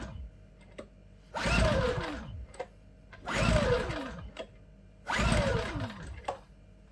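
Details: Champion 8200i DF EU dual-fuel inverter generator, made 03/2022, bought June 2023, first start on LPG from 24 L tank; three pull attempts, each brief whir dying without catching, cause unknown: cranks but won't start.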